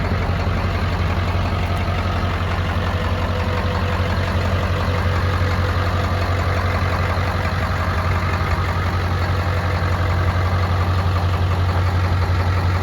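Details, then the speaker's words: 1999 Ford F-250 2wd shorty with 7.3 Powerstroke diesel, ZF6 manual, Jelibuilt tune, believed to be on the lope setting; deep, heavy idle with a steady lope of about two beats a second, deliberate tuned lope, owner says it sounds like crap. "I believe this is the lope for it. I know it sounds like crap, so I'll get it out the lope, but put it back to one."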